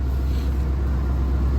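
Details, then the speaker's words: 1990 Oldsmobile Custom Cruiser wagon, cold start after sitting about a month, idling with the choke on. The exhaust leak and head gasket were recently fixed. A deep, even low rumble with no ticks, puffs or misses: a healthy, steady idle. "you know that's it idling right there on uh with the choke on"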